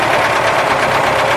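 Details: ZAZ 968 air-cooled engine idling on 10W-40 G-Energy oil: steady fast light ticking over an even idle, no change in rhythm, like a knock from the timing gear end. Timing-gear knock suspected, not confirmed.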